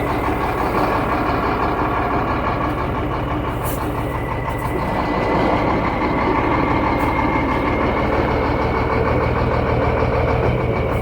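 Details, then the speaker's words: Shacman diesel tanker truck with one rear wheel lifted, spun in gear: thin whine rising in pitch as wheel speeds up; noise located in the differential, nowhere else; differential to be opened. "घुमा घुमा घुमा बस बस बस तो इसके depressor में आवाज है। तो अभी हम इसका डिप्रेसर खोल के चेक करेंगे।"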